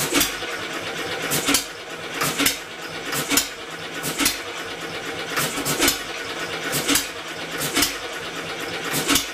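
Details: Homemade double-expansion engine built from a two-cylinder air compressor, run with electric-motor assist after moving the ignition magnet closer to its sensor. Slow, uneven firing thumps over motor hum; it cannot run unassisted. Owner suspects the original pulley flywheel is too light.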